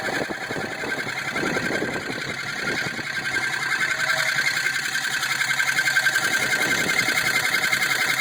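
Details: 2002 Jeep Grand Cherokee 4.7 V8: fast, light sewing-machine-like ticking, steady, unchanged however far driven, quieter at higher speeds; full power, no misfire, good oil pressure; engine ticking, cause unknown.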